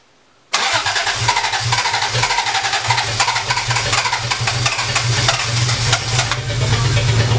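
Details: 1980 Toyota Supra barn find, unstarted for years, fresh battery fitted: starter cranks the engine in an even, rhythmic churn for several seconds but it never catches. Cranks, no start; owner suspects the fuel pump.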